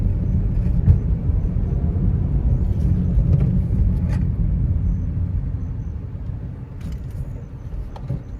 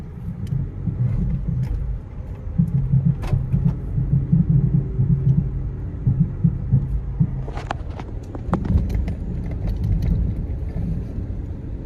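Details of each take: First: Manual Nissan Almera on test drive after repair of an underbody suspension clunk: only tyre and road rumble over the rough stretch, a few soft bumps, no metallic clunks; suspension clunk fixed. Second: Nissan Almera, manual, warmed to operating temperature, AC on, driven slowly in first gear over bumps: dull knocks over cabin road rumble; owner unsure if shocks, axle bearing or hub bearing, springs and shock mounts to be checked.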